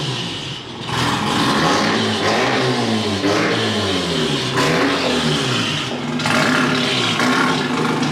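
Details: Mazda RX-8 rotary, hard cranking with no start: starter cranks on and on, pitch wavering and dropping as the gas is pressed, never catching. Owner suspects it needs plugs or isn't getting enough fuel.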